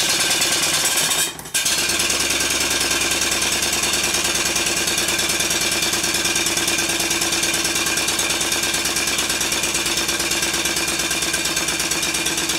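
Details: Completed Stuart 5A model steam engine running on steam in the garden, shorter exhaust pipe: after a brief hiss, fast, even exhaust chuffs hold steady throughout; runs sweetly and smoothly.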